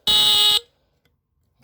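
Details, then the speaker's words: Battery-powered Tanita Mfg. Co. No 2 heat alarm (sounds at 145–165 F), tested with the bottom test strip: one loud, steady, shrill half-second buzz then silence; horn works. "oh cool well at least we know it works oh there it goes"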